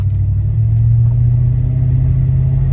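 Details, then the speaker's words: 2001 Toyota Sequoia with about 250,000 miles, after coil pack replacement for misfire (codes P0300, P1300, P1310), on a test drive; steady, even low engine drone with no chugging, running on all cylinders; misfire fixed. "so there's no misfire uh it's running on all cylinders now and it sounds normal it's not chug chug chug listen"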